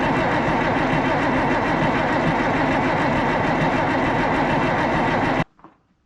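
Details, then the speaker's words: Oliver 1800 tractor diesel with Stanadyne (Roosa-Master) injection pump just reinstalled after repair: steady starter cranking with no firing, injector fittings left loose to bleed air from lines; cranks but won't start until fuel reaches injectors. "the fittings are all still loose at the injectors because, well, I blew them out with air and they need bled out, and also that'll keep it from starting. So I'm going to crank her over until fuel comes out of the top there."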